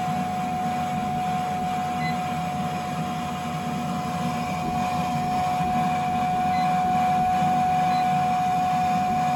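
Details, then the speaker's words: Attic air handler blower on a no-heat call, blower not staying on, boiler in lockout: steady mid-pitched whine over a pulsing hum; sounds like a blower fault. "Sounds like you got a blower issue here."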